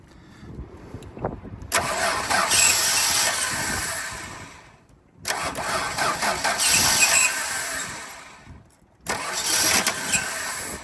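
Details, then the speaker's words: Chrysler 215 Hemi ute with 3-on-the-tree, first start attempts: engine catches and runs rough only while the starter turns, then dies each time the key is released; ballast resistor suspected dead. "You know what it sounds like? Sounds like this ballast resistor is sounds like this ballast resistor's dead. Because it starts when you crank it and then it stops when you let go, you know?"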